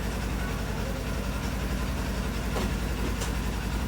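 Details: Polaris General 1000 after replacing the blown primary clutch, which had caused slamming into gear and no park, with an RZR 1000 clutch and stock belt. Low, steady idle with an even pulse and no slam when engaged in gear; normal idle.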